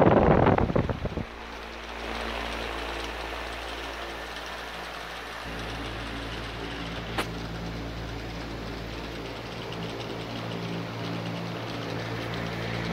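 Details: Durafan 18-inch barn fan with sealed motor, 14 months old, used nearly two summers: loud rough scraping at start-up, then a steady drone with a faint continuous rumble and hum; motor bearings suspected to be failing.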